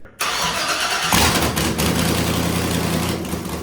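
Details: 1978 Jeep J10 desert race truck with LY6 LS V8 after cam swap, VVT delete and pushrod length fix: starter whirs briefly, V8 catches and settles into steady even idle with no ticking or knocking, running clean.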